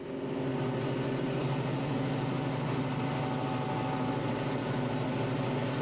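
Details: Tractor driving a Baumalight 3P38 three-point PTO stump grinder on a roughly 30-inch stump; steady even drone with constant low hum, no bogging or surging, very powerful; normal operation.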